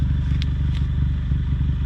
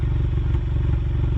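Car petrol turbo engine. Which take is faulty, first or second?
second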